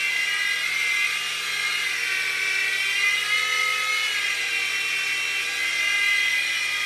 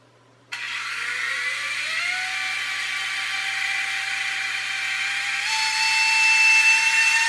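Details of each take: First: U809 Air Attack toy helicopter after a LiPo change and super-gluing the slipping motor pinion gears: smooth, high, steady rotor and motor whir with no gear slipping, flying normally. A motor later began slipping and whining again. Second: U809 Air Attack toy helicopter: small electric motor spins up to a high, thin steady whine without lifting because the pinion gears slip on the motor shafts; fix is super-gluing the gears back on.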